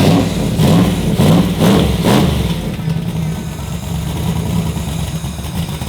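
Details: Turbo Chevrolet Nova engine, restarted with no tuning, after two cylinders found not firing: a couple of throttle blips then a lumpy, uneven idle loping about twice a second, spitting lots of fuel; rough idle from over-fueling.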